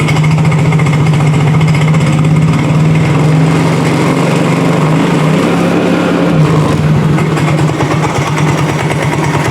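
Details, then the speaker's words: Yamaha Mio J automatic scooter at idle: rough, uneven rattling over the engine that fades as the throttle is raised and returns at idle; a worn starter one-way clutch, not the piston or cylinder. "Jadi karena ketika kita tarik gasnya, kalau kita tarik gasnya perlahan, idle-nya, dia suaranya semakin lama semakin hilang ya. Jadi timbul lagi, kita tarik gas lagi."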